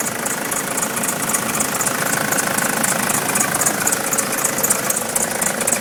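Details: Nissan Patrol 3-litre turbo diesel at idle, also won't start unless jump-started: rough steady clatter with faint repeating high chirp about four a second; squeak cause unclear.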